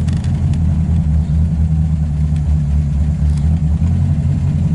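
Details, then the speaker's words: MGB special engine after tuning, idling at a stop with no throttle and brake on: low, even idle rumble holds steady without hunting or stumbling; engine idles cleanly, though it has tended to quit at stop signs. "stop like don't touch the accelerator and put the put the brake on I don't think you can ask for much more than that"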